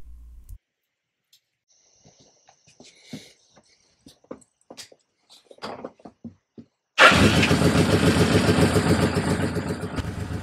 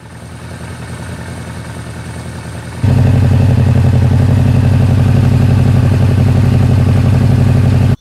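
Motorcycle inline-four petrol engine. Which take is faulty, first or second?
first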